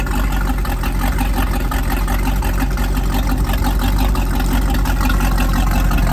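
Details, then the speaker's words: Rebuilt 305 V8, ex-Volvo Penta 2-barrel IO converted to right-hand-rotation Crusader 220 marine engine with 1:1 transmission replacing a 1.5:1, for a 1995 24' Lyman. Deep steady rumble, even beat, no knocks or misses; runs healthy. "Well, here she is, our 220 Crusader. Started out life as a 305 Volvo Penna, 2-barrel IO engine."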